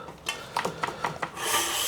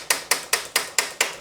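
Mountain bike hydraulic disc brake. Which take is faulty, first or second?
first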